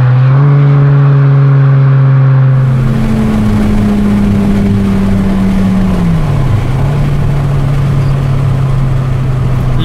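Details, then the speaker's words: Aston Martin DB7 V12, revived after years-long storage killed the original engine: strong smooth pull accelerating into the red zone, pitch dropping cleanly at each gear change, no misses or knocks; healthy. "मैं आपको यह दिखाने की कोशिश करूंगा कि एक अच्छा त्वरण क्या महसूस करता है लाल क्षेत्र में त्वरण"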